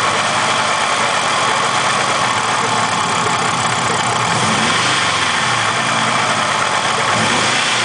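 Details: Steady idle with a dull, repeating knock or rub under the engine note; owner leans toward not rod knock and suspects something rubbing on the timing cover.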